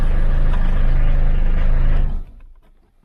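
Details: Old Opel Ascona diesel that would not start or crank, running after a bolt was tightened, manual choke, glow cycle finished and oil light out: steady even idle, regular low knock about four per second, no misses.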